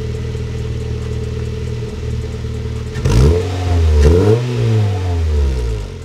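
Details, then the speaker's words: GD3 Honda Fit 1.5 liter with short ram intake and newly installed HKS Hi-Power muffler: low even idle, then quick blips with deep smooth exhaust tone, tamer than expected, not raspy; healthy free revs. "Oh, that's a lot more tame than I thought it would be. I thought it was gonna be really raspy, but it actually has kind of a deeper tone to it."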